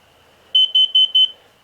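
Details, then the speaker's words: Motorhome engine running while working on the lights, windows and doors open: four sharp, rapid high-pitched beeps from the carbon monoxide alarm. Owner suspects exhaust fumes from leaking exhaust manifold gaskets or seals. "so so yeah we are not going anywhere in this rv until those uh gasket seals or where the seals on those manifolds are are fixed and i've got i've got the part jesus went off again"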